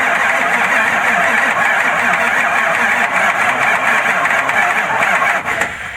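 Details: 1996 Ford F350 7.3 Power Stroke, not yet run by owner, unfixed after dealer work: starter spins the engine at an even steady rate, never fires; crank no start, fuel pressure untested, cause suspected, not confirmed.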